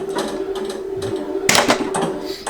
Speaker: You can hear them a little bit, okay?